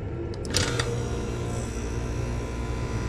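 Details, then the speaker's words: AC outdoor unit where the compressor starts with a steady low hum but the condenser fan does not run; the fan failure was traced to a bad capacitor. "compressor starts but no fan so let's see here"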